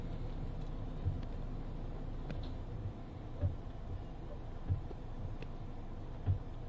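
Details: Mitsubishi Xpander, noise when the steering wheel is turned left or right, remaining after underbody parts were replaced: dull low clunks every second or so, from a poorly seated front strut mount.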